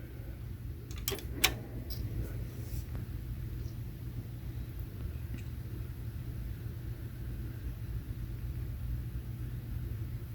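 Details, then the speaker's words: HP Z240 workstation restarted after unplugging power for 10–15 seconds: a few clicks at first, then a low, soft, even fan hum; the fans no longer race wide open from the suspected firmware glitch and run at normal speed. "and you can see it's starting up now and this time the fans are not jetting they're not running wide open"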